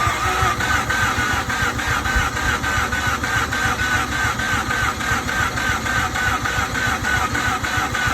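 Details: 2007 Mazda RX-8 that suddenly stopped starting, with fuel supply and pressure confirmed: the starter spins the engine at about 3.5 pulses a second but it never fires. Ignition check is next; compression is still untested.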